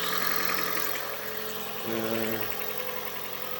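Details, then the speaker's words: Toyota Prius hybrid at idle with heater on: light rattling tap about four times a second; mechanic suspects flywheel damper area between engine and gearbox. "вот отсюда болтается я не знаю там электромотор между двигателем и коробкой там где маховик демпфер катана постукивает"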